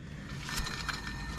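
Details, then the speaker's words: Claas Jaguar forage harvester corn cracker tensioner during a pre-harvest check: a rough, rasping scrape with uneven bursts over the running drive. The bearings are fine; dirt packed behind the tensioner is scraping. "this sounds rough but it's not the bearings it's there's a load of dirt and [ __ ] at the back that it's scraping on"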